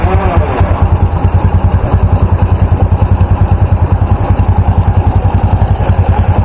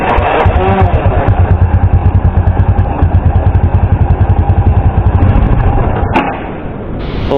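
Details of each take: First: Flood-soaked small motorcycle after new spark plug, carburetor drained of water and fuel cap opened: steady even idle, no longer stalling or misfiring on throttle. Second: Small motorcycle after riding through flood water: new spark plug gives strong spark, but engine chugs unevenly, falters and dies when throttle opened, from water in carburetor; air cleaner checked next.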